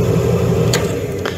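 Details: Furnace with no-heat complaint, draft inducer motor jumped directly to 120 volts: a steady low hum and smooth, even drone with no rubbing, grinding or rattling. The inducer motor works fine; a bad control board is suspected.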